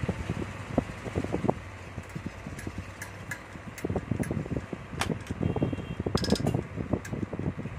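Steady fan whir with only occasional light clicks, no grinding or dragging: the fan spins freely and runs normally.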